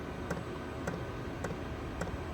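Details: Newly installed diesel heater in an Alu-Cab canopy camper, being bled after install, fuel just starting to come through: quiet, evenly spaced sharp ticks roughly every half second from the dosing pump; normal fuel pump ticking while priming.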